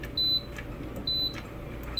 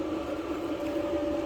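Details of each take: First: Kenmore dryer before control board replacement, nothing running: three short high beeps about a second apart over room hum; control board beeping erratically, turning itself on and off; new board to be fitted. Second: Kenmore dryer that had been turning itself on and beeping, after full teardown, dust cleaning and new control board, first run: smooth even hum, steady mid tone, no knocks or scraping; normal running.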